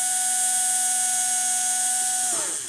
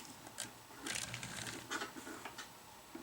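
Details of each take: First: AHM GP18 model train locomotive motor running smoothly after wash and lube, motor cleaned of grime and buildup for good contact; clean steady hum at constant pitch, winding smoothly down when power is cut; normal motor run. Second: AHM GP18 locomotive, older, before cleaning, at about 50% power reversing on a test track: faint uneven buzzing with irregular ticks and stutters; jumpy running from wear and buildup on the wheels.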